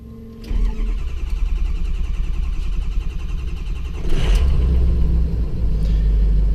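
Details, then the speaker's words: 2006 Ford E450 bus diesel, stone-cold start after a week or two unused; catches and settles into steady clatter, then revs step up and hold as the high idle kicks in. Normal cold start with high idle. "And if it's been run recently, it's a whole lot better about that. This is a week or two of no running. There's that high idle that kicks in."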